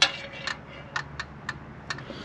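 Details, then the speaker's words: Cheap old Jeep with automatic transmission after driving, engine not running: sharp, light clicks about twice a second, evenly spaced; the stabilizer links are worn and the track bar is broken. Source of the clicking unknown. "I was just trying to get out of the way so this thing has a chance have a good time something's clicking"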